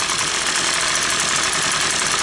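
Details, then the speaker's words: Two-stroke engine that the customer says had everything replaced: a flat, buzzy, very quiet drone that never climbs in pitch and won't rev. The mechanic is 99% sure the exhaust screen is plugged, with a faulty ignition coil not advancing timing as the alternative. "Either your exhaust screen is plugged up, which is very It's really quiet. So, that's I'm pretty 99% sure that's what it is."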